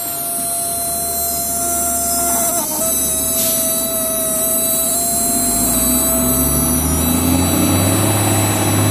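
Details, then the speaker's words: Replica Imhotep relay charger powered by a solar panel, audible because it sits on a hollow wooden door, charging a 11.81 V battery: steady mid-pitched relay buzz whose pitch drifts lower as the load connects. "if you notice this doesn't make any noise unless it's got something to vibrate off of sitting on this hollow wooden door you can really hear it coming away right"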